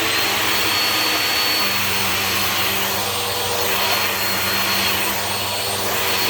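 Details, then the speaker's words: Bissell CleanView Bagless 8990 12 amp vacuum: steady high-pitched whine with a rough, coarse edge; motor doesn't sound original, owner suspects a newer replacement motor and a rough brush roll, and suction seems weaker than expected. "Yeah, I feel like this has a replacement motor in it, because it sounds like one of the newer Bissell motors, and the suction isn't as good as like what I would expect from a 12 amp CleanView."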